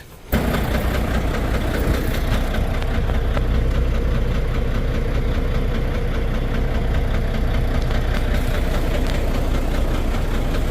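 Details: Volvo VNL D13 diesel starting and settling to idle with low power and unstable running: loud, steady knock two to three per second that stops when one injector is cut; suspected broken fuel injector.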